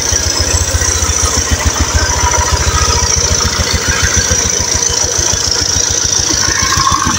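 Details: Honda Beat ESP scooter, first start during restoration with engine rebuild: quick, even single-cylinder putter with steady hiss above; engine running smoothly at idle.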